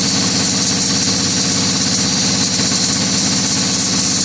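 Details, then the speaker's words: Detroit Diesel 2-cycle, 2,389 cu in, idling after leaking fuel lines were fixed: an even, loud, crisp exhaust beat with a high-pitched 2-cycle tone and no misses, knocks or hunting. Normal idle. "And you can hear a little bit of a 2-cycle tone to a high-pitched tone. It sounds cool, man. I love it, man."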